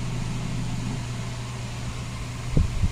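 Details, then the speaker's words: Coca-Cola display cooler running after the faulty defrost sensor/thermostat on the evaporator fan motor was replaced. PF1 error cleared and temperature displays. Steady low compressor and fan hum with a couple of soft bumps, no rattle; the earlier noise is gone. "Yan, wala nang maingay mga kabusing, wala na yung tunog. Yan mga kabusing, umaandar na."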